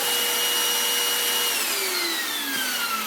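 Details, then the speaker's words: Goblin Solo vacuum cleaner with its broken original motor hacked: its high-pitched whine sags and labours when the filter is fitted, because the filter blocks airflow. "Hear how blocked it gets when I put this filter on. I mean, that is no good at all."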